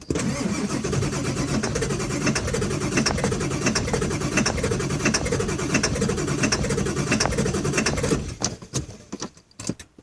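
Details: 2000 Ford F550 7.3 diesel at about 60°F: steady, even cranking about eight seconds without catching, then starter drops off; hard start, owner believes it needs new injectors.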